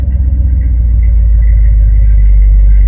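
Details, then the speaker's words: Ford Galaxie 500 with rebuilt V8, first start after flooding; soaked old plugs were cleaned, wire-brushed and burned off. Cold engine fires and settles to a deep, steady, even rumble with no misses or knocks; running normally while warming up. "it sounds so good I'm going to let it warm up"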